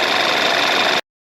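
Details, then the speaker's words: Engine after timing chains, guides, tensioner, balance shafts and spark plugs were replaced and a misplaced belt tensioner was corrected: even idle with busy ticking from the high-pressure mechanical fuel pump, otherwise steady; running good, no cam/crank correlation codes. "the engine's a little loud because we have a high pressure mechanical fuel pump right here so everything's running good"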